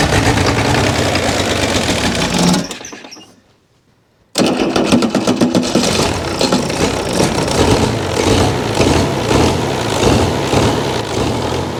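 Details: Chrysler diesel (rebranded Mitsubishi 6DS70 marine six), barn-stored for years, after re-bleeding the injectors until fuel reached the sixth: catches after a pause and settles into a steady, even clatter with no misses, running healthy.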